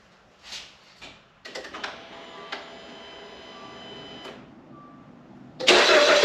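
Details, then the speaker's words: Dodge Dart after fixing an intermittent no-crank, blamed on a chassis or engine ground with the battery thought to be under a year old: a few clicks, a pause, then it cranks and catches cleanly into a strong even run; normal start. "Sounds good to me. All right, I think we're in good shape."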